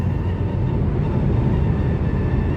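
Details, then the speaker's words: 2012 Nissan Juke 1.6 turbo CVT, days after primary/secondary pulley roller bearing replacement, manual 6th gear at 70–75 mph: faint steady high whistle over heavy road rumble, gone below 50 mph; source near engine unknown, wind whistle. "The only complaint I have is I have a whistling noise out there from the engine, from the wind. I'm not sure what it is."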